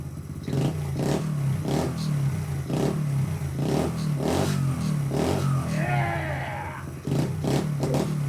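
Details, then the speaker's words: Dixie mini bike resembling a Honda Z50, first start of a newly installed single-cylinder engine with the carburetor, CDI and throttle cable hooked up, no choke used. Clean pops and short throttle blips settling to a steady idle; a healthy engine revving. "Oh, holy Look at that run. I didn't even use the choke. No way. All right. Oh, yeah. Hooked up throttle cable, too. That sounds cool."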